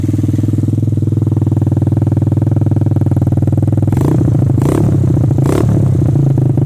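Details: 150cc ATV with 12-inch wheels, just started with brake held, sound near the exhaust: even quick putter of a small single at idle, steady with a few light throttle blips, starts easily and runs clean and healthy.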